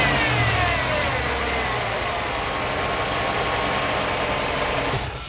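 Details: Lifted Jeep Limited, just back running after months of repairs, recorded with the camera set up to hear the start: catches and settles into a steady, even idle with no knocks or misses, then fades out; healthy.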